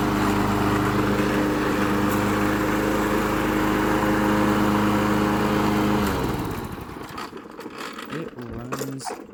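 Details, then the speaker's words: Late-80s/90s John Deere 14SZ mower, 5 hp, unrun 2 years, after carb cleaned, jets cleared and carb correctly reassembled: steady, even constant-pitch note for six seconds, then winds down and stops; runs clean, no misses. "It runs perfectly with a new carb clean and when you put it together correctly. So look at that. It runs perfect."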